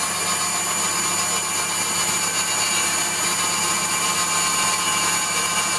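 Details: Waldown/Dumore tool post grinder on a lathe internally grinding a bronze bush: steady high-pitched wheel whine with light hiss as it kisses the bore; contact uneven, a tight spot in the bush, set by sound.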